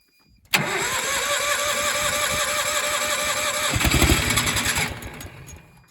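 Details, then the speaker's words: Miller AEAD 200LE gasoline welder/generator, first start after about 15 years sitting, on starting fluid, oil thin and smelling of gas: catches, runs rough a few seconds, dies; ignition and spark confirmed, carburetor not supplying fuel. "Alright, that's pretty good. It tells us that the ignition system is working. It's getting spark."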